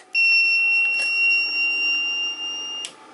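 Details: Reliable Electric 800W pure sine inverter: a single steady high-pitched beep under three seconds at switch-on, flagging low input voltage from the inrush dip; inverter low-voltage startup beep.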